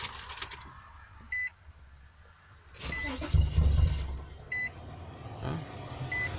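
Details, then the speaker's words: Nissan Sentra SE-R with a head gasket leak, freshly charged battery and starting fluid sprayed: door chime, a short crank, then the engine catches about a second and dies; later started with repeated cranking and throttle taps. "Well, that didn't go so well."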